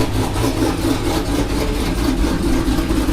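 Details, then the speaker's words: Big-cam engine with a badly done tune, before cam removal and retune: deep, uneven, rhythmically chopping lumpy idle; rough running pointing to poor tune. "Now it's chopping. It don't sound too shabby. It's chopping."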